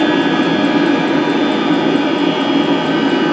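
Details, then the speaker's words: 16 kW 12V diesel parking water heater on its first full test run; water reached 75°C and the blower motors slow down. Smooth steady blower whine with faint regular pump ticks about five per second; normal running. "It's now slowing down in the background. So as the blower motors bring the speed down."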